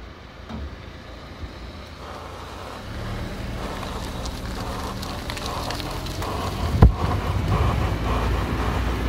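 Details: 2001 Audi A4 driving: deep road rumble with a rough pulsing drone that builds with speed from a bad tire; other causes ruled out, fixed by swapping the tire.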